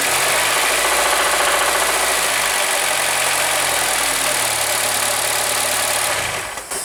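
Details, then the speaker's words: Honda Accord: quiet at idle, but from about 2,000 rpm a hard, regular knock of three or four a second rides over the engine. Oil pan removal found bearing-shell fragments; a spun rod bearing, likely cylinder two. "холостых он не стучит а вот чуть-чуть часу до двух тысяч и начинается стук прям хороший"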